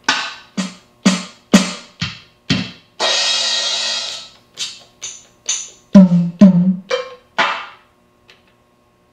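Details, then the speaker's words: Water-damaged LinnDrum after replacing resistors with precision metal-film ones to cure phantom random noises and fixing dead drum sounds: crisp kicks, snares, claps and cymbals play cleanly, silent gaps, only slight transformer hum. "and there's no noise aside from some transformer hum"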